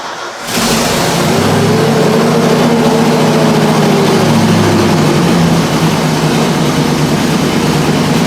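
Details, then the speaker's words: 1994 Ford F700 truck petrol V8 cranks and settles to loud, slightly rough idle with puffing from leaking exhaust manifolds; pipe-to-manifold flange found loose. "all right i'm thinking we go for the exhaust leak first this engine should have oxygen sensors or at least an oxygen sensor so if it's getting air you know outside air into the exhaust then i could mess things up so it's definitely loose here the pipe to the manifold flange"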